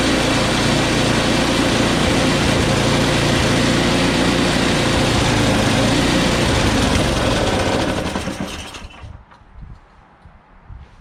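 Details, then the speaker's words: Small engine started with carb spray after a quick carb clean: runs steadily about eight seconds, then revs fade and it dies once taken off choke. "Once I took it off choke, it stalled."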